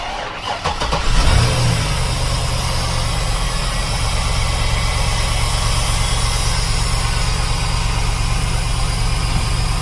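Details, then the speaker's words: 2005 Cadillac Escalade short wheelbase, about 113,831 miles: it catches, flares briefly, then settles into a steady even low rumble with no knocks or misses. Normal idle. "Runs good, nice and smooth."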